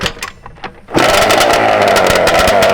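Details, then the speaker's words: Two-stroke ATV engine, already warm, carburetor jetting not adjusted since October (now February), P7 needle; snappy off idle, then at about quarter throttle it rises to a steady high buzz that hangs on, a sign of running too lean. "So, it's snappy, but as soon as you put it about quarter throttle, if you hear it go lean like it's, you know, that's that's your sign of it's it's too It's too lean."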